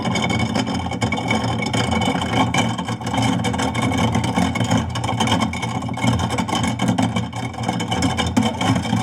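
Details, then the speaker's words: Garbage disposal with rusted-stuck impeller blades, run about 30 seconds: motor hums steadily under a loose, irregular rattle as the blades dislodge and break free. "Letting it rattle around. So if you notice, that noise actually is a good thing. It sounds good that it actually dislodged there."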